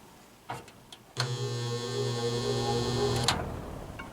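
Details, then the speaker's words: Probably mid-to-late-1970s Lakewood S-23 metal box fan: switch clicks, then a loud, harsh buzz as the motor starts, worse on high speed, from loose wires in the windings; fixed by varnishing the windings. "It does work, but we have a loose some loose wires in the in the windings. You'll hear the the buzzing noise as it starts up."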